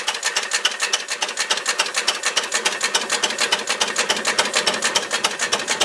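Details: Ruston Hornsby model PR, about 1926, horizontal single-cylinder petrol-paraffin engine, on petrol with the rich mixture leaned, apparently first start in 5 or 6 years: slow, steady crisp ticks about three a second, no misses or knocks; normal idle.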